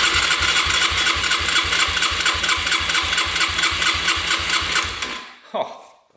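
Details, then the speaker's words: 2011 Yamaha Raptor 125 that wouldn't start, compression test with throttle open: even starter cranking at about four strong puffs per second, reading over 170 psi; good compression, and spark is also good. "That's way over 170 PSI and a little 125. That is really good compression."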